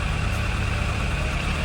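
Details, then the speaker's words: Suzuki Bandit 600 four-cylinder after carburetor rebuild and synchronising: smooth, steady idle with an even beat and no stumbles; misfire fixed, air mixture still to adjust; normal idle. "but it sounds much better no Miss fire wo it's fixed much better all in line all happy"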